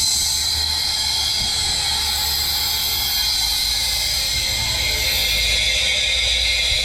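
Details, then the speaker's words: Drag-car engine that lost over 10 mph, leak-down test on cylinder 2: loud, steady hiss of air escaping; suspected bent intake valve. "So now I'm going to take you to number two, which seems like there's a bent intake valve."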